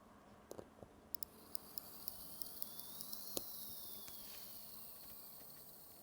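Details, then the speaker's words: Seiko 6105-8110 "Willard" watch movement during reassembly, ratchet wheel screw tightened before the pallet fork goes in: faint smooth high whir rising and fading with light clicks, no grinding; gear train spinning freely, as it should. "that's exactly what we're looking for. That is exactly what we're looking for. Everything spinning and sort of whirring like that. That is a good sign."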